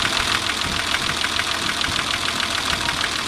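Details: Engine knock at idle: a sharp knock about three times a second over the steady idle note, deep and internal; owner unsure whether it is piston slap or rod knock.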